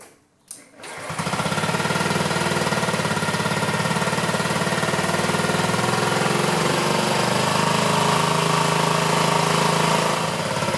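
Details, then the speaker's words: 2009 Honda Metropolitan scooter, cold start next morning: uneven hunting idle around four pulses a second, never settling; improved with carb cleaner spray, so clogged jets suspected in a carburetor possibly left sitting three years. "Let it warm up a little bit. Doesn't sound real consistent. And because it improved with that carb cleaner spray in there, I have a feeling the jets are clogged in there."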